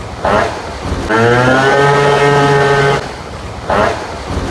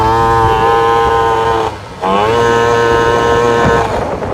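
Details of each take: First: Vento Triton R4 two-stroke, carb re-tuned with a 104 jet and intake shroud on, at 187 degrees and not overheating: strong, steady full-throttle buzz climbing cleanly with no stumble, still reaching 58–60 mph; normal full-throttle run. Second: Vento Triton R4 carburetor after fitting a bigger main jet: at full throttle the engine drones flat, stumbles and dips and never pulls; bogging from running far too rich, plug black and saturated, jet swapped back.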